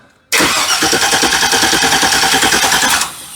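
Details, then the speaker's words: 1965 Chevy C10 cranking after work that may have disturbed the ignition timing: the starter spins in quick even pulses, about three a second, with no firing after an earlier bad pop. The owner suspects timing is way off, possibly a slipped belt tooth; the plug came out wet. "Yep, she ain't even trying."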